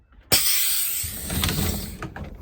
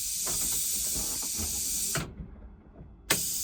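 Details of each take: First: 2008 International IC RE300 school bus pneumatic door; regulator raised above about 30 psi gives a loud air blast and heavy thumps as the door slams too hard, then struggles to release. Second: 2008 International IC RE300 school bus, rear engine: the pneumatic door system was just fixed with a replaced regulator. Two clean air hisses as the door opens and closes, ending in a firm thump. The door works properly, though closing is slightly slow.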